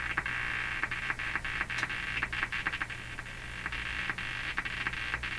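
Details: Hammarlund HQ-180 receiver, warmed up on a dim-bulb tester after capacitor replacement: irregular popping putt-putt bursts over a steady hum; motorboating that the noise limiter kills, traced by pulling tubes to the IF/detector area.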